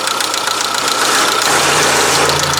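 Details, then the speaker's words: Zaporozhets engine after rebuild, solid lifters with no hydraulic lash adjusters: light, quick ticking over an even idle from the top of the engine; valve tapping, clearances need adjusting. "единственная у нас остались под его клапана постукивает там же гидриков нету вот поэтому до клапана поднастроить"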